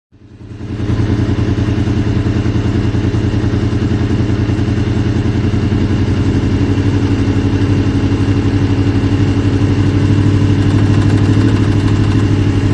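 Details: Honda VFR800 VTEC V4, about 56,000 miles, warm above about 80C, at 1500-2000 rpm: faint regular light knock over the firing beat, seemingly from the right side, possibly the rear cylinder; engine knock, source unclear.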